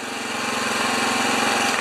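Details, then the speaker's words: Small generator engine at no-load auto low idle, output reading about 71 volts: fast, even patter with steady tone; normal low idle. "I think that is the, I think that's the old version of the low RPM idle when there's no load."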